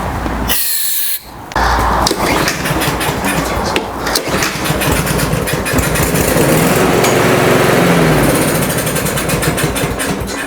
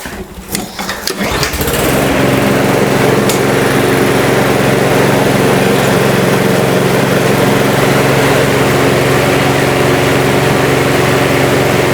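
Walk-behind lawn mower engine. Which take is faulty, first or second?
first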